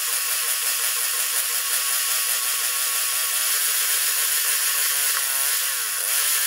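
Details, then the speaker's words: 1973 Tecumseh snow blower engine, restarted without choke after carburetor reinstall. Note rises and falls instead of holding steady, a hunting idle possibly from carburetor fueling; owner hesitant to test gears. Engine surging at idle. "here little surgy I'm not happy with that I'm afraid to test the gears"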